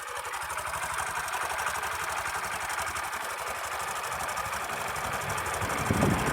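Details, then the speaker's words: Sundiro Honda CBF125T small single motorcycle idling, recorded by phone: steady, fairly loud metallic ticking of about four clicks a second; the owner suspects a timing chain rattle, and it does not affect riding. "现在应该非常明显，就那个咔咔咔咔的那个声音。"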